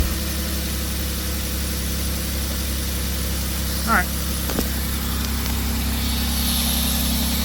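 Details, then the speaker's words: Van at idle after a misfire repair with new spark plug wires: steady, even low idle with no stumble or skip; engine running smoothly. "So, let's start this up. Shouldn't have a misfire anymore."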